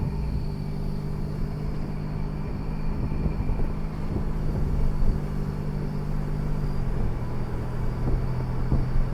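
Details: 2008 Ford Edge while driving: heavy low rumble with a droning gear tone, clunks and rough grinding bursts from a bad transfer case.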